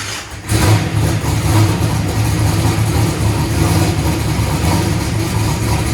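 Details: Race car after replacing a broken part and draining methanol from the oil pan, in second gear on first start: engine catches and settles into a deep, steady, loping idle with even firing and no knocks or rattles; sounds healthy.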